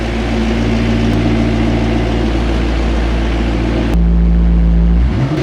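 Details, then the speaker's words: McLaren idling still cold, no check engine light, boost slightly high, no oil pressure on the mechanical gauge: smooth steady idle with even low drone, no knocks or misses, small blip near the end; idles normally. "You can see there's no check engine light currently on over here, but it's idling great. It sounds normal."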